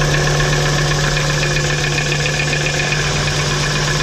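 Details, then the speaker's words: VW T4 2.5 AAF petrol idling with a dull, fairly regular knock that persists while plug leads are disconnected one by one; revs freely and fine above 3000 rpm; source not found. "Ah, ça cogne toujours, hein. Sinon on entend qu'il prend très bien les tours et au-dessus de 3000 il n'y a aucun problème."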